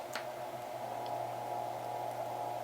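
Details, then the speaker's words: Staples SPL-TXC18A shredder motor powered directly by alligator clips on black and white wires without its 40 µF start capacitor: low steady mains hum with faint tone; motor turns but struggles, needs a push to start. "so I do see the motors turning but do you see how it's struggling see I have to give it a little push now that's what the start capacitor does"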